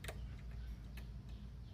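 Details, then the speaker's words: Jeep XJ no-start, battery and alternator good, starter relay jumped with screwdriver: only a few faint ticks, no cranking; starter motor diagnosed failed and replaced. "Nothing's happening. So, your relay could be bad, but it's"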